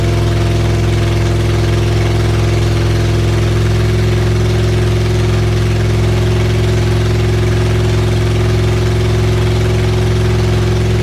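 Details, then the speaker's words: Rebuilt supercharged Honda Integra engine on its first start after the rebuild, with oil pressure pre-built by cranking and no exhaust fitted: a very loud, raw drone over a steady, even idle with no ticking or knocking. Normal idle. "it's running I don't hear any knocking I don't hear any knocking it's loud but I didn't hear any knocking from the engine that is really loud without the exhaust done"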